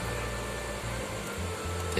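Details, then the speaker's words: Active subwoofer speaker, repaired after being totally dead using parts from a used CFL lamp, now powered up with nothing playing: a faint, steady low hum showing it works normally again. "ada suara ya mas bro hanya ada suara dengung sedikit ini speakernya pertanda speaker ini sudah nyala kembali"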